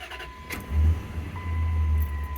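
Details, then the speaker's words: 2005 Dodge Ram 4.7 V8 idling with a deep, uneven, lumpy rumble after clear-flood: constant cylinder 3 misfire at idle, persisting despite coil and injector already replaced. "so what we're gonna do first is just do a clear flood and we're gonna listen to the engine so that sounded like a little bit of a misfire to me"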